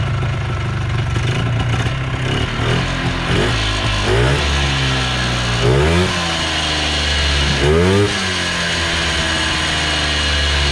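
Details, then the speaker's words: 1980s Polaris 250cc two-stroke ATV revived after years sitting, with fresh premixed fuel and carb clean: crisp two-stroke rattle climbs cleanly with each throttle blip and settles back evenly; runs well, carb may need minor tweaking. "Yeah, she runs good, boys. real good."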